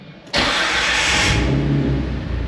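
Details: Jeep TJ that previously would not start, first start after battery reconnected, clutch in: short crank, engine catches at once and settles to a smooth, even idle; charging reads 14 volts afterward; healthy start.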